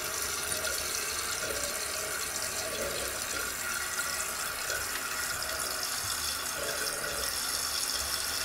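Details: Toto one-piece toilet after rebuild with new flapper and fill valve (ball cock), replacing a loud whistling fill valve: smooth, quiet water rush filling the tank without squealing or chattering; fill valve working normally.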